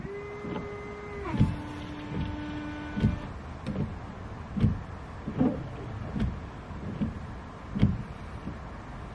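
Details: Car with the screen wash reservoir just topped up and the engine not yet started. A brief electric whine from the fuel pump steps down in pitch, then soft wiper thumps about once a second as the washer and wipers work normally.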